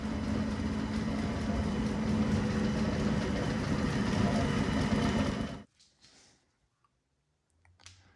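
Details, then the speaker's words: Circa-1932 Bennett Model 450 twin clock-face gas pump, a California barn find idle over 40 years, both pumps on (belts shredding): steady even motor hum with a light regular tick for about five seconds, then cuts off cleanly; runs healthy again. "Right hand pump on. Left pump on. She sounds healthy. It's amazing after all these years that this unit can actually run again."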